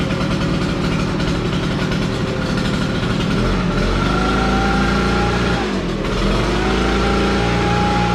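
Small two-stroke engine catches and settles into a steady buzzing run with a slight rev dip midway; runs evenly, sounds healthy.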